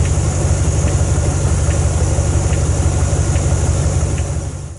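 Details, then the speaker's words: Range Rover P38 idling: light, steady ticking a little over once a second in the engine bay, from a failing alarm battery backup sounder (BBUS); the ticking stopped completely after replacing the unit. "plug it in tighten everything down and the weird ticking noise stopped completely so I'll insert here a bit of a sound clip from the weird ticking noise"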